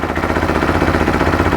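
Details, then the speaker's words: 2013 Bennche Spire 800 UTV with newly installed engine, first start on fresh oil: even, quick exhaust pulses about eight a second, steady, no ticking or knock, some smoke from oil; healthy settled idle. "it's idling really well it's quiet"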